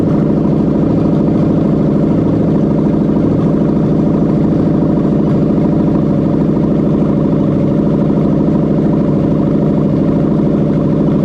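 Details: Toyota Crown 04-09 3UZ-FE VVT-i V8 on test with fully rebuilt LHD engine harness for the 6-speed automatic, no exhaust fitted: loud open-pipe burble at a steady even idle with no misses, knocks or ticks; healthy.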